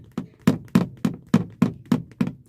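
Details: Car interior on bumpy road with seat belt unfastened: seven sharp hollow plastic knocks about three per second; loose seat belt buckle slapping the plastic trim, fixed by buckling it or taping it down.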